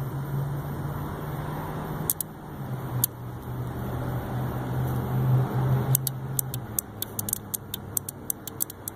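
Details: 2005 International 4300 DT466 parking light fault, circuit fed by MOSFET in main chassis computer: low engine hum with sharp relay clicks as the module output pulls in an automotive relay; output works, relay to be used as fix.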